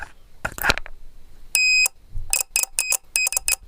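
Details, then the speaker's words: Relay checked with a multimeter on its contact pins: faint relay clicks, then meter continuity beeps in short bursts as the coil energizes. The contacts are closing properly and the relay switches normally. "तो इस pin को message check कर सकते हैं कि जैसे matter करता हूं तो रिले टिकट की आवाज आ रही आपको सुनाई दे रही कटर से रिलेबलिंग कर रही है"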